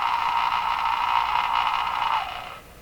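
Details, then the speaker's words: Westinghouse 535 radio after replacing its last two old capacitors: steady, mid-pitched buzzy howl that then drops away, identical on AM and shortwave, which rules out the local oscillator; receiver oscillation, cause not yet found. "It sounds exactly the same, eh? That's got to be the hint. The same oscillation, doesn't matter what band you're on."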